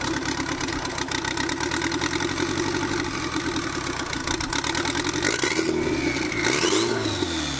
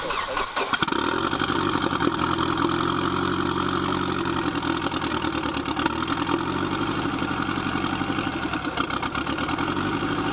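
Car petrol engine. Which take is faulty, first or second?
first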